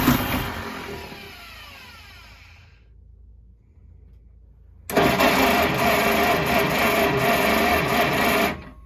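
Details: 1953 Kaiser Dragon Super Six that sat about 30 years: two bursts of steady starter cranking with a pause, never catching; possibly no gas in the tank.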